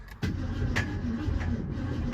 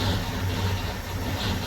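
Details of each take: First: 1966 Ford Mustang, after sitting 16 years under a carport, cranked in neutral before any fuel or points work: slow cranking drone with heavy metallic clanks about every half second; clanging inside the engine, cause unknown, to be investigated. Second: 1966 Ford Mustang idling just after its first start in 16 years off the road, stored under a carport: steady, low, even rumble, no clanking or misses, some smoke; sounds great, normal idle.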